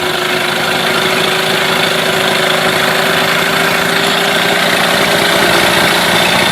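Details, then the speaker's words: Mercury 8HP outboard, pull-started in a water tub out of gear with a little choke after sitting unknown time, on second pull: fast, even buzzing beat around four firings a second, no misses; running well. "like he running pretty good ring a bit"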